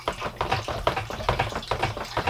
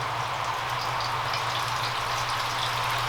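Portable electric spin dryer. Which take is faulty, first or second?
first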